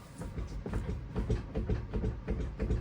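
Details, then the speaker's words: Rear wheel of a loud (78 dB idle inside) car hanging in the air and rocked by hand: dull low thuds about two or three a second from free play in the shocks' spherical rod ends, letting the wheel move about an eighth inch and causing vibration. "That is that little bit of uh free play that is in those spherical rod ends on the shocks is enough that the wheel wiggles up and down like an eighth of an inch and that causes vibrations inside."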